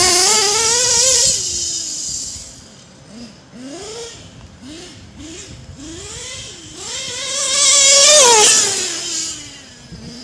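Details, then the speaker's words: Modified LRP .32 nitro engine with Novarossi carburetor, deliberately leaned, pinned to full throttle: high-pitched engine rising and falling with throttle, short stumbles and high-end bog when pegged; lean hesitation at full throttle. "See, I leaned it. You hear that little bit of that hesitation when I pinned it?"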